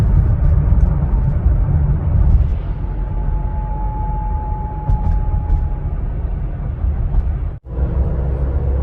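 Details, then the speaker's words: 2020 Ford Explorer under one year old, about 12,000 miles: thin steady howl rises from road rumble and fades, intermittent only between 39 and 42 mph, heard behind the front seats; driveshaft howl. "recently i had a 2020 ford explorer come in with an intermittent howling noise between 39 and 42 miles an hour"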